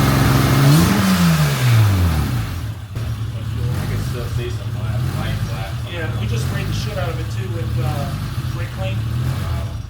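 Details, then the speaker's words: Honda J32A2 (TL Type S) swapped NSX with new exhaust surges, flaring up and sagging unevenly, then stalls. The fuel pump can no longer be heard, so the owner suspects a bad pump. Brake clean made it bump. No fuel pressure gauge is fitted yet. "I can't hear the fuel pump anymore so I'm thinking I got a bad fuel pump I hit it with some brake clean it did bump off you can hear it trying to Surge"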